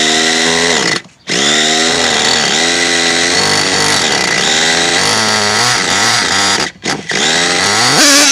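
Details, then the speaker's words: Modified Nova nitro RC engine, cold during warm-up, deliberately tuned rich before leaning out: high buzzing note that burbles and wavers with uneven revs and blips; running rich and not yet warmed up. "running really rich me to get her warmed up you can hear it sounding running rich never gets warmed up"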